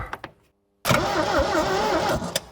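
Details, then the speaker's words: 1972 Triumph Dolomite 1850 barn find, off the road for 34 years: about a second of steady cranking with no firing; crank no start, no spark, owner suspects connections corroded or oxidized from outdoor storage. "well there is no spark and I don't have a multimeter well I reckon the main problem with this car is because it's left outside so all the connections is corroded or oxidized"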